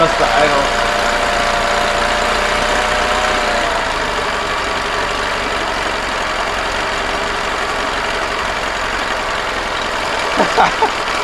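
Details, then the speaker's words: Free 2005 Honda 20 hp long-shaft outboard, dirty oil. Small outboard ticking over at idle, slightly uneven at first then settling and running on without stalling; it ran about 10 minutes, missing its stop button. "well it's been running for like 10 minutes hasn't shut off but it's missing the stop button"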